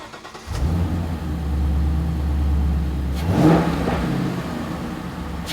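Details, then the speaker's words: 2015-2017 Mustang GT V8 just after Holley iNTECH cold air intake install: cranks and catches into deep steady idle, quick rev rises smoothly and settles; a little louder than factory airbox. "Definitely a little more sound than the factory box."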